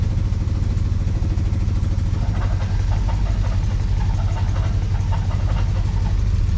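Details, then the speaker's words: 1968 Dodge Charger, original 318 V8 after sitting since 1990, first start: steady low idle with faint irregular ticking chatter from the front accessory drive, good oil pressure; a loose pulley is blamed, and the belt is to be tightened. "uh looks like that pulley's loose that's the problem right there so let me shut this thing down and tighten up that belt a little bit"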